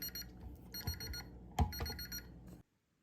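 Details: Energizer NiMH battery charger gives rapid high-pitched beeps in short groups with a red light, its error alarm for dead or worn-out rechargeable batteries; the charger itself is fine.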